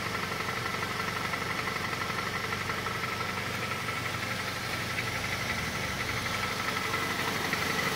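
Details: Honda CR-V 2.4 idling while warming up, heard from underneath: a light regular tapping knock about three times a second that fades as the engine warms; owner suspects the exhaust tract.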